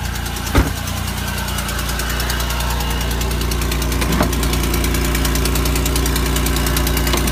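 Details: 3800 L67 V6 idling evenly with a fast, light ticking over its low hum from an exhaust leak.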